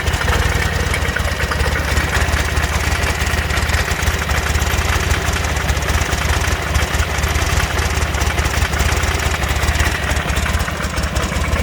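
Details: 2006 Buell Ulysses XB12X, 56,000 miles, loping V-twin idle with a faint regular knock on each beat, heard after a full service including fuel pump and bearings; cause unknown.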